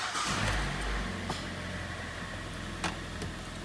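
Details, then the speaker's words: 2014 Kia Sportage G4NA, 71,000 km, first start after teardown for slapping and lifter knocks; oil pressure primed. Even, quiet idle with no ticking or top-end noise, no error codes. Normal idle. "работает ровненько работает тихо без посторонних шумов все хорошо ошибок никаких нет"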